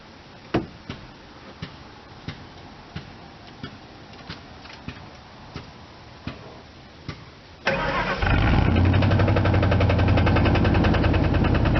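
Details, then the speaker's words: 1999 Ford F250 Light Duty with a 5.4 Triton V8, startup recorded from the rear at the exhaust: sharp ticks before it catches, then a loud steady idle. An engine knock is noted, cause uncertain. "obviously the knock may not help with the sound of the exhaust because you probably hit the knock more than the exhaust"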